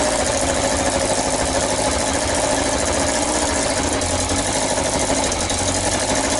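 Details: Yamaha XJ900S Diversion motorcycle, first start after restoration: sharp, hissy puffing chuffs over an uneven idle, loud and raspy; exhaust blowing at the front header pipe joints, gaskets suspected slipped or needing tightening.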